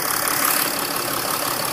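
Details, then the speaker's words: 2008 Mercedes ML320 CDI diesel just after fuel, air and oil filter replacement: started at once after glow plugs, with a steady, even idle clatter and no misses, stumbles or surging; did not stall, no bleeding needed, checked for leaks. "Did not stall whatsoever, and it was no other thing needed, basically."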